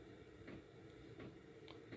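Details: Diesel air heater (dry heater) in a DIY electric car after fuel pump replacement: soft regular pump ticks about every 0.7 seconds over a low steady hum, metering normally while the heater runs.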